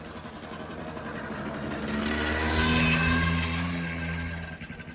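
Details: 1985 Honda Spree two-stroke scooter that bogged with no power, after cleaning a carbon-clogged muffler by burning it out: buzz climbs smoothly to higher pitch and falls back without bogging or misfire; normal revving now.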